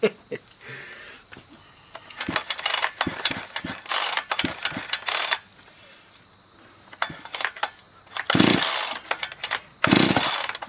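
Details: Husqvarna 460 chainsaw, damaged by cheap 2-cycle oil, rebuilt with a new piston, cylinder and air filter. Crisp two-stroke buzz in sharp rev bursts with idle gaps; it revs cleanly and drops back evenly, running healthy.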